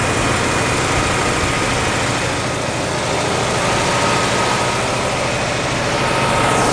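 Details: 1956 Oldsmobile 88 V8 running after long storage, with the fuel line fixed and the battery charged. The idle is steady and even with no misfire or knock, slightly high. No smoke from the breather or exhaust. Owner suspects an earlier stuck valve and uncirculated oil.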